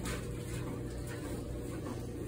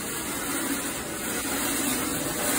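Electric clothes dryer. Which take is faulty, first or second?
second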